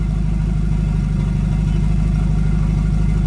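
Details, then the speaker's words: Volvo 245 after turbo swap: steady, even low idle with smooth pulsing rumble, no knocks or misses; starts right up, idle needs turning up slightly with the screw. "But starts right up. I do have to turn up my idle just a little bit using the little screw. But it runs."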